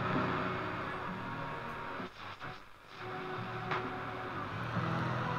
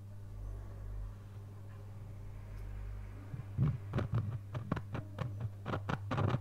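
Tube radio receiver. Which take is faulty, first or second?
second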